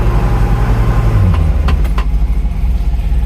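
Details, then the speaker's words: Classic Fiat 500 with clutch pedal in, in any gear including reverse, light rev: idle then sharp rattling knocks that vanish with clutch out; worn clutch pilot bushing letting gearbox input shaft rattle. "only with the clutch in pop it out a gear it goes away all gears 1 2 3 4 and reverse clutch is still in give it a little rev there it is awful"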